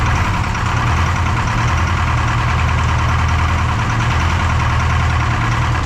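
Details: Detroit 4-53T diesel with 9G90 injectors, about 30 miles on them, in the shop: heavy low rumbling idle with an uneven, lopsided beat. Injector number two, coldest by IR gun, not firing: dead cylinder.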